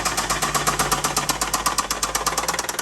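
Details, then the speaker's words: Nissan 350Z, sat abandoned for months: loud sharp metallic knock, about eight a second, steady at idle and ringing through the whole engine so a stethoscope can't isolate it; rod knock. "Now, to start with, we try to isolate the knock to try to find where it's coming from in the engine. And this is very hard to do with it running because that knock is pinging throughout the entire engine."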